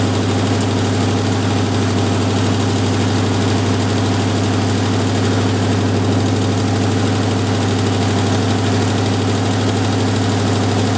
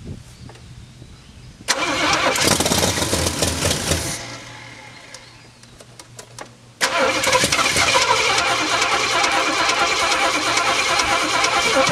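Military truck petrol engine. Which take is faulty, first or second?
second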